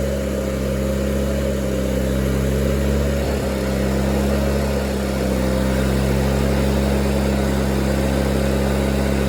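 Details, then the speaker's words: Miller Bobcat 225G welder/generator, unused for years, running after a new starter solenoid, ignition pickup and alternator work, new fuel pump, fuel lines and oil change; steady, even drone and low hum with no knocks or surging under welding load; healthy, and the welder works. "So, my main concern was that that welder worked, and it did. So, we're good to go."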